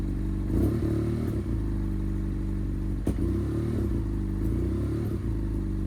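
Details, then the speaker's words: Revs surging and dropping erratically around a high idle on a 2015 BMW F800R with unstable idle and check engine lights that appeared after washing; owner suspects the temperature gauge or thermostat behind the error code. "So I think the temperature gauge or the thermostat might be the cause of this error code, but there are also other issues with the throttle response that's really weird."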